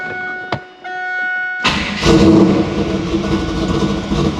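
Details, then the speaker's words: 1996 LT1 Camaro after another alternator swap to cure electrical interference; short crank, then smooth steady running, charging, no whine or buzz in the speakers. "You can already hear how much better it's running. We're charging. And I can't hear any of that interference with the speakers."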